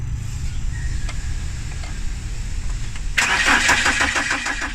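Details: BMW 318i, a first BMW troubleshooting job: starter turns the engine over at a steady pace of about three beats a second, then a harsher whirr, but it never catches; crank no start.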